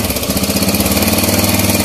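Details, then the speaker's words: Kawasaki Bajaj CT100 single-cylinder before repair, noisy engine: fast even rattle and grind from inside following engine speed; mechanic suspects loose timing chain, later replaced. "So, yung timing chain yan, sa malamang maluwag na."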